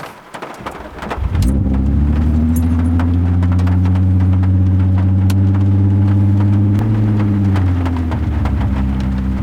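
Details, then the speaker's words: Mk4 VW GTI VR6 after fix: starts and settles into a smooth even idle, no lope once warmed, rain in background; earlier surging idle and near-stalling caused by broken brake booster vacuum hose at check valve, now replaced. "Look at that. No crazy lope. No brop, brop, brop, brop. Once it initially warms up, it is perfect."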